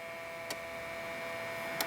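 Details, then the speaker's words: 2006 Jeep Grand Cherokee that overheats at idle, cooling fan commanded on with a scan tool: two relay clicks, on then off, but no fan running; diagnosed as a bad fan assembly. "the release turn on here I hear the relay clicking it shuts it off okay I did not hear the fans turn on"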